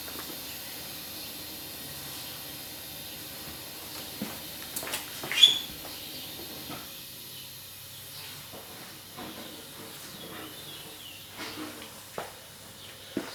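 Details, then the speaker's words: BMW 135 (750hp, single turbo, JB4) boost leak test with intake pressurised to 25 psi; steady airy hiss with a few puffs, leaks only at oil cap and catch can vent tube, none on turbo or intake side; no boost leaks. "didn't hear anything that would cause some concern. The only two leak areas I heard were the oil cap and my oil catch can vent tube that goes all the way down the trans tunnel. I didn't hear any on the turbo side or on the intake side."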